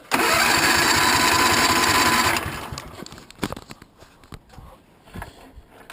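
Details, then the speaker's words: Twin-cylinder engine, cold start on choke in snowy weather, after cleaning carbon off a fouled spark plug that caused a misfire: catches and runs strong and even with no misfire; a normal cold start. "yeah had to use a choke there it's kind of cold out you can see the snowflakes that sounds great"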